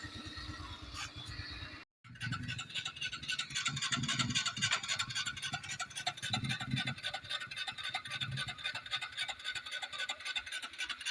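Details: Honda Wave 110i starter motor spins nonstop as soon as the battery terminal is touched, key off and no dash lights, so the key switch is ruled out. A steady high whir keeps going when it should be dead.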